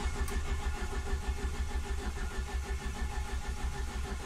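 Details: Ford ST170 with GSXR 750 individual throttle bodies and ME221 ECU, difficult starting since head work: starter turns the engine at a slow steady beat, about three turns a second, for over four seconds without firing; hard start, long cranking.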